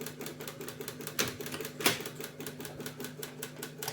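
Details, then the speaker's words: Japanese tape deck/radio unit bought via Zenmarket: after a cassette is inserted the deck clicks constantly every half second without engaging and won't eject the tape; cause unknown, electronics to be inspected. Repetitive clicking. "Воно тепер клацає постійно. Ой, блін."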